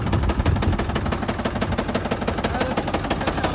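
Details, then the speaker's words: 2024 Ford Super Duty Power Stroke diesel with 10,000 miles: sharp, hard knocks about three per second over the diesel clatter at a steady beat; rod knock, engine failure before first oil change. "Rod knock at 10,000 mi."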